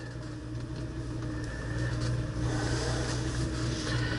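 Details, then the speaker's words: 1966 Ford Mustang carbureted V8 warming up on partial choke, steady even burble rising slightly with throttle blips, no misses or knocks; runs great. "oh gosh this thing runs great yeah I'll spin up the a little bit warm up the oil back the choke off about halfway"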